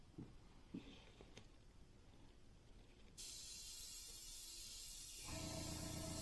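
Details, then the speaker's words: Iwata HP-CR airbrush with compressor backed off to about 30 PSI, test-spraying paint onto cardboard before painting a SkyShark P-40 RC plane. An even, steady hiss with no sputter or surge; spraying cleanly at low pressure. "I've also backed off my PSI now in my air compressor to where it is at about 30ish PSI so I'm going to just spray on this cardboard backing here a little bit to make sure it's okay"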